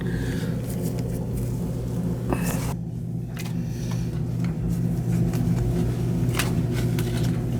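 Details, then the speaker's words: Gas boiler with pilot that would not stay on, burner fired with jumper on two-stage valve after checking pilot orifice: steady, even low roar, no surging or popping, clean flame; normal burner operation, pilot then stays on. "Alright, she's opening. Fire it up. Two-stage valve."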